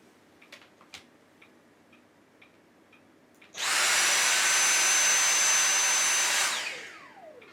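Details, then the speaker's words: Dyson V6 cordless vacuum after battery replacement (original failed at two months): high steady whine for three seconds winding down cleanly; motor runs normally. "それではテストしてみましょう。大きな音がします。"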